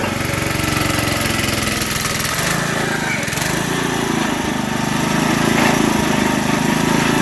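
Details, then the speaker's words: Digger Mobile 550 small-engine auger digging a hole: steady drone sags briefly mid-clip then picks back up as the auger hits big chunks of buried debris and nearly stalls a couple of times. "As you can hear, it kind of stopped a couple times. I was hitting a couple of big chunks of stuff."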